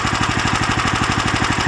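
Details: Lifan LF390QE Pro single-cylinder engine, newly fitted as a direct replacement on a flail mower, idling outdoors on a cold day on a booster pack: steady, even thumping at roughly twelve beats a second, no misses or knocks; healthy normal idle.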